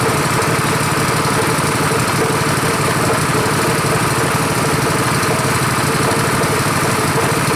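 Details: Rebuilt Honda 5.5 HP single-cylinder engine running outdoors after rebuild: low even tick-over, steady rapid beat, no stumbles, lower than the other engine; normal healthy idle.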